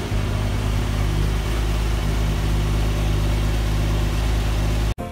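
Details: Budget squad car project, first start in over a decade after fresh oil and topped-up fluids, now running: smooth, even low rumble at steady idle with no misses, knocks or ticks; idling cleanly.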